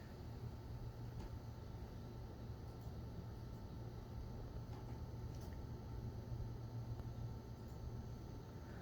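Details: Coil whine from an Asus Strix RTX 4090 compared with a Zotac Extreme 4090, vertically mounted so the coil near the PCIe slot faces away from the mic. A thin high-pitched tone over low fan rush flickers as the in-game load shifts.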